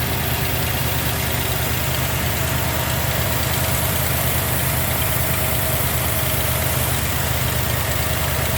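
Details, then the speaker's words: 1990 Jeep Grand Wagoneer with a new rebuilt AMC 360 V8 and Holley EFI after restoration: smooth, quiet, even idle with a steady low rumble and little vibration, holding firm as the new factory-style AC compressor load comes on; normal idle. "See how smooth and quiet that engine is? It's got very little vibration on the top of it. Everything's lined up, it runs good, it runs smooth."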